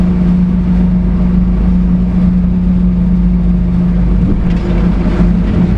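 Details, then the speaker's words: HiJet S83P mini truck with a load of wood, cruising on new Maxxis MU07 Ceros 23x8R12 mud tires: steady low road rumble with faint even hum, much quieter, engine now audible; normal tire road noise. "So much more pleasant, and they're still somewhat aggressive. You can actually hear the motor."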